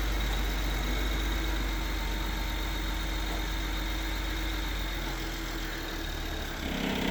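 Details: BMW 535i pulling away from a stop with the clutch let out on almost no throttle: low engine drone with a loose, uneven rattle that swells under load at low rpm.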